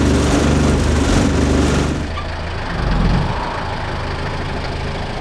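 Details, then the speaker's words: Civil-defence Mercedes T2 406D diesel, cold start after preheating the glow plugs 10–20 seconds until the glow wire glows red; water pump still leaking before repair. Loud start-up clatter eases into a steady, low rattling idle. Normal cold start. "I can feel the heat coming off this wire so I think we're ready and we just pull it up that last little bit and then everything starts to rattle"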